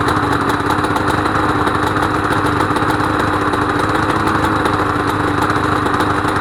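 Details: Honda NSR250R-SP MC18 250cc two-stroke grey import on JHA pipes, start of a restoration project, power valve servo turning: steady, crisp idle with an even buzzy note and no misses or rattles. Normal two-stroke idle.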